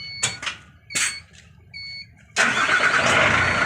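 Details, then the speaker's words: Hino Victor 500 ten-wheel truck, 260 diesel engine, after cleaning dust from the starter motor: a few clicks and a brief chime, then it catches at once and runs smoothly, with no longer any noise after starting. "ปรากฏว่ารถเสียงดังปกตินะครับผมหลังจากสตาร์ทแล้วบ่มีเสียงดังขึ้นนะครับผม"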